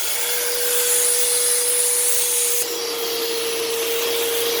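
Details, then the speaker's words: Eureka SmartVac 4870 upright vacuum rebuilt from two broken machines, running on high carpet setting: steady motor hum with constant mid-pitch tone and airy rush, no rattles or grinding; motor has a long wind-down, belt slipping slightly and soon needs replacing. "motor has a bit of a long wind down but other than that it's it's all right"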